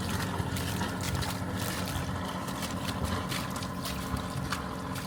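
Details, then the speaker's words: Volvo MD2020 marine diesel in an SJ320 sailboat, after water inlet and exhaust mods adding two water locks to prevent hydrolock: steady low beat half-buried under splashing exhaust water, with little exhaust bark. Quieter than before, smooth. Normal running. "I think the exhaust is actually a little bit quieter. All you can hear is water coming out rather than kind of exhaust note."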